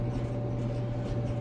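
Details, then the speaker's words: Maytag Bravos XL MCT dryer about five years old, out of warranty, running after the idler pulley was replaced. A low, even hum with a faint steady tone and no loud screechy squeak. The little noise is normal, so this is normal running. "it's running and um not hearing no squeaking that little noise is normal how it makes that little noise that you hearing but that's just the normal noise but it wasn't that loud screechy uh squeaking or whatever"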